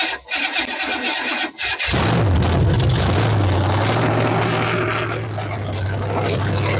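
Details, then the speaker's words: Rat rod truck with a 327 small-block Chevy after an engine swap, 50 psi oil pressure while cranking: catches and settles into an uneven, lumpy idle with a stumbling beat; a misfire is suspected and the firing order is being checked. "that got way too much time yeah almost sounds like it's got a miss or something going on I I thought so too"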